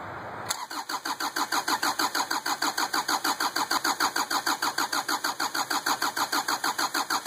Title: 2550xp hard start